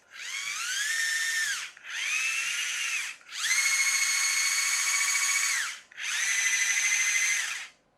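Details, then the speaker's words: Chicco Jimmy Thunder RC car in a hobby-grade conversion, after its slipping protective clutch gear was fixed so it can't spring apart: bursts of shrill screaming that climb with motor speed. The gearbox screams from an unknown cause, possibly parts coming out of alignment. "yet as soon as I put it together it's uh screams and it's not my fixed-gear that's screaming I don't know what it is screaming"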